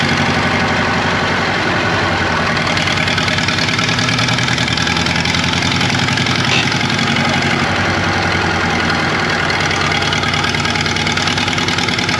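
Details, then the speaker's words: 1939 Caterpillar D4 (RD4) diesel, first run after final assembly, started via pony motor near a mile altitude: rough, lumpy idle with broken stumbling rhythm and clatter, a miss in the engine; fuel leaks also present, cause not yet known. "it moved it runs it moves it's got a Miss in the engine I I know we got some work to do we have some fuel leaks to iron out"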